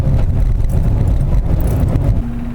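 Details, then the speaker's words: 2005 Saturn Ion driving after replacing front sway bar bushings and sway bar links: steady low road rumble at cruising speed with no clunks or rattles; the annoying front-end noise is gone. "We'll take her for a ride and see if the noise went away. Sure enough, the really annoying noise is completely gone."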